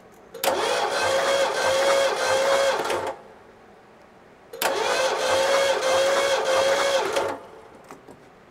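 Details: Abandoned 1972 Ford Galaxie 500 station wagon, 400 V8 parked since 1998, during compression testing: two starter bursts of about two and a half seconds, steady whirring crank, never fires; about 120 psi found.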